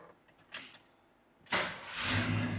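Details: 1974 Ford F100 big-block Ford V8 with completely dead battery, jump-started from portable jump pack: brief quiet, one short crank, catches at once and settles into strong idle without dragging; healthy start.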